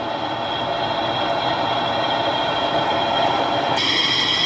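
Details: 2009 Nissan Altima front wheel bearing after repair, heard through a Steelman listening tool: steady, even rolling hiss with faint tones and no growl or rumble. The bearing noise is gone.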